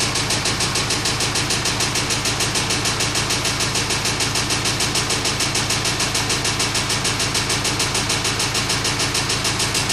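Engine at idle with a steady, even knock about 200 a minute riding over the run; source of the knock not yet pinned down.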